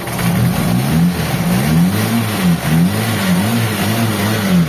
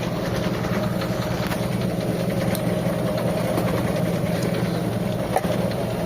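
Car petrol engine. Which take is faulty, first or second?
second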